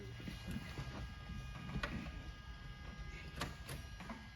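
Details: DeLorean DMC-12 barn find, 977 miles, off the road about 18 years: faint scattered starter clicks and the engine never cranks. The relay checks good; suspected signal fault to the starter circuit or a dead main relay.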